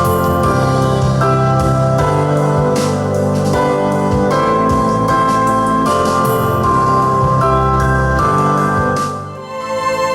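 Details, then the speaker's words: Yamaha KX300U single-deck cassette deck with Dolby B/C and HX, being serviced, playing back a test recording it made: clean, full music with steady level and no hiss, wow or dropouts; normal playback. "That actually sounds very good. Excellent sound off this thing."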